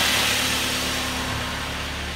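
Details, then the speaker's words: Ford Mondeo Mk3 diesel idling smooth and even after replacing the noisy air con compressor (whine seemed to come from the power steering side, traced by screwdriver to the compressor); no whine now, repair successful. "okay this is it it's all back together i'm going to turn the key [Music] lovely i cannot hear no wines now"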